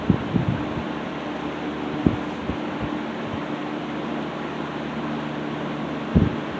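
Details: Restored 1960s Phoenix 16" box fan by Frigid with freshly serviced General Electric motor, warming up on low: steady low hum, soft whirring airflow, a few light bumps, even and unchanging; normal running.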